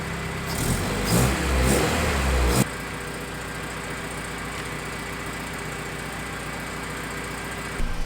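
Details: Honda CRX just started after sitting for months, still warming up: several crisp, clean throttle blips, then it settles to a steady, even idle; engine sounds healthy.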